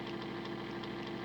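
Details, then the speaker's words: Homemade DCC decoder tester model-train motor raised from 25% to 50% throttle, drawing a little over an amp: low hum with raspy hiss pulsing about eight times a second, rough and strained; arcing inside, owner suspects cooked motor is frying decoders. "Jesus dropped man that motor sounds terrible oh she's arcing inside so I'm guessing that the motors cooked and that's probably why it's frying the decoders"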